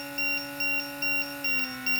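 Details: WLToys Sky-King F959S glider, brushed motor, 2S 300mAh lipo: motor drone dips in pitch while a shrill beep repeats about twice a second. Cells at 3.81/3.80 V resting sag to 3.5–3.4 V under load, tripping the low-voltage alarm, and recover when throttle drops.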